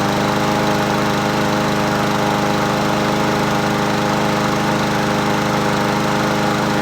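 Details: Husqvarna 7021P 21-inch push mower with Honda GCV160 engine, unused two years, running after plug cleaning on its original OEM carburetor: steady even drone at constant speed, no misses, surges or knocking; healthy normal running.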